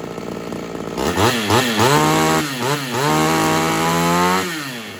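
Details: Ported Homelite XL-76 two-stroke chainsaw, run after new Proline fuel filter fitted to cure fuel starvation: revs rise and sag repeatedly with wavering pitch; surging persists, owner suspects carb modification or a heavier reed is needed.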